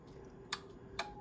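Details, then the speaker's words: KWS-1 refurbished transmitter, microphone press-to-talk on AM: two crisp clicks about half a second apart over quiet hum, transmit relay pulling in and releasing cleanly; normal relay operation. "can hear the uh the relay clicking in and off there as they operate the press the toque and actually the the Vox Works quite well as well"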